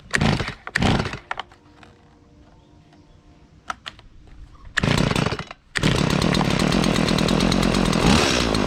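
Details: Stihl chainsaw on 50:1 mix, started after chain sharpening and bar and chain reassembly: a couple of pulls, then catches and holds a strong, steady run with no misses or stumbles; normal running.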